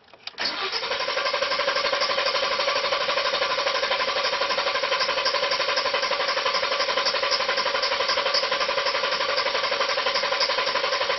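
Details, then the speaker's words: Ford F-150 cranked for 10 seconds with the pedal fully depressed during a Launch X431 relative compression test: steady, even cranking at about 232 rpm with uniform chuffs; 0% difference between cylinders, compression normal. "can tell that it sounds good when it's cranking. It does not sound like it's got any issues."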